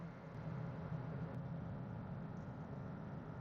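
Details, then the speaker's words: 2003 Chevy Trailblazer 5.3L V8 driving after power steering pump replacement, sharp turns and accelerating toward 60 mph: only low steady engine and road hum, no whine with steering load; pump quiet. "nice and quiet and smooth even if I make a sharp turn nothing you don't hear any whining noise or anything the engine is nice and quiet"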